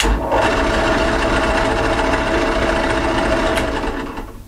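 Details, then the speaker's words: Clarke metal worker drill press at startup in a noise comparison: steady even motor hum with no knocks or grinding and slight vibration from the hood; normal running. "not too bad uh the Clark metal worker let's listen to that not too bad get a bit of vibration from the hood um but that's nothing too bad"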